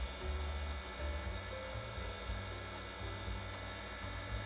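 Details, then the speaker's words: Hard drive (977 cylinders, 41 MB) in a vintage 386 portable booting MS-DOS: high steady whine with uneven stepping buzzes and grinding; abnormal noise, owner suspects head contacting a platter, drive likely dying. "that noise yeah that noise is not a good one I'm pretty sure that's um I'm pretty sure that's uh probably the head making contact with the uh with the one of the platters"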